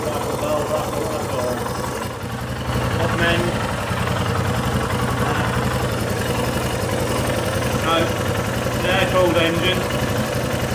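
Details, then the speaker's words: Royal Enfield Himalayan single, about 6,000 km, after the faulty exhaust valve was replaced with new valves and a valve check, at around -10°C: steady, even idle thump, no top-end ticking, as quiet as it will go; normal idle. "not supported the watered engine but I think this is going to be as quiet as it's going to go I'm really happy with it"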